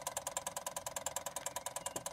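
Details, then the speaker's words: 1989 Cadillac Brougham, ignition on, engine off, in ALDL diagnostic mode: crisp even ticking at ten Hz from mixture control solenoid pulsing, then stops; normal behaviour. "the ticking noise you can hear that's actually mixer control solenoid pulsing the primary mechanoids up and down at ten Hertz and the computer does this while in diagnostic mode"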